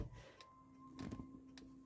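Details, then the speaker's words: Camper fridge igniter pressed: sharp dry spark ticks about every half second in a quiet room as it generates spark at the back of the fridge to light the gas burner, normal. "and the spark is now being generated in the back of the fridge, and that will, after a few minutes, light the fridge."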